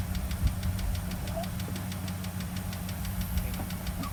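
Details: 2004 Dodge Dakota 3.7 V6 farm truck: a quick, even light ticking at idle, about five or six a second, present for almost a year and gone above 3000 rpm; a shop said it isn't the engine; the source is unknown.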